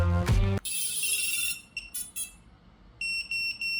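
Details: DIY waterproofed FPV drone powered up after drying and recoating the board with conformal coating; clean high-pitched startup tones in evenly spaced groups then a steady repeating beep, ESC arming normally.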